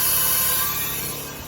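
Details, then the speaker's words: 1998 Ford Ranger 3.0 running rough, leak-down test with engine rotated by hand, intake closed: steady hissy rush of air escaping from the exhaust, fading slowly; owner suspects a bad exhaust valve, not confirmed. "that I believe to be a bad exhaust Val"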